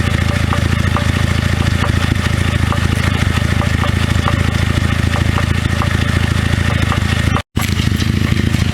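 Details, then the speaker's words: 2009 Cadillac CTS 3.6L LY7 RWD with 6L50E transmission, engine running: sharp, fairly regular knock about three times a second, loudest at the transmission inspection cover. Too inconsistent for rod knock; a failed flexplate separating from its ring gear. "just does not sound consistent enough to be a rod knock"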